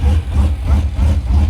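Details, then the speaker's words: V8 truck just after a cam install, first run in about a year, a vacuum leak still present: a deep, choppy idle loping a few times a second, evenly and steadily, with no ticking, sounds healthy. "That sounds good. Something pretty good right there. That's what I wanted all."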